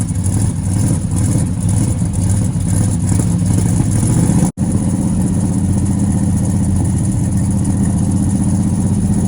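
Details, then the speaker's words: Buick GS 455 V8 project car, with fuel gauge near empty and a starter about seven years old: steady, even idle with a smooth low rumble and no ticking, where it ticked before; oil pressure present but no charging voltage; normal idle. "Yeah, the motor sounds good now. It was ticking before."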